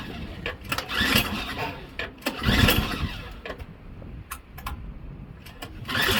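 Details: Craftsman Series 2 snowblower bought at auction: repeated rope pulls, each a short whirring burst dying away, never catches, ignition coil wire grounded; no spark.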